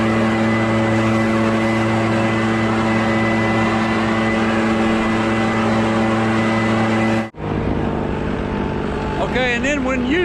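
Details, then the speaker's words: Echo PB650 two-stroke backpack blower, barn find unused for years, running on fresh gas while clearing a roof toward the gutters: strong, even high-pitched drone at steady speed, no surging or misses, then a brief drop; healthy. "so it's working pretty dang good what I do is I start to Ridge and blow all the stuff down towards the gutters and then come bac"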